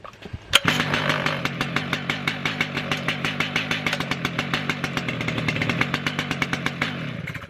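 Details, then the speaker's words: Stihl MS 881 Magnum chainsaw, hot restart on the safety setting: a single pull catches at once and settles into a quick, even popping idle of about six beats a second; clean, normal hot start. "so as you can see it's a lot easier to start it now it's hot all i have to do is just put it on"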